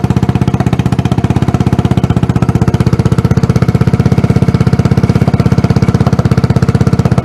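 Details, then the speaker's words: Scooter engine swapped into a Tomberlin Punisher buggy, demo start after wiring: strong, even single-cylinder thump with no misses or rattles, said to sound like a GY6 150 on steroids or a Yamaha 250 four-stroke. Normal running. "sounds great sounds real good actually it sounds like a gy6150 on steroids"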